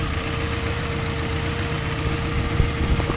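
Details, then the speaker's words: 1990 Honda Civic at rough, low idle: a steady, mid-pitched whine from an alternator that isn't charging, with only about four volts measured; the whine stops when the alternator shuts off. "you hear how the alternator shut off you hear that whining noise go away"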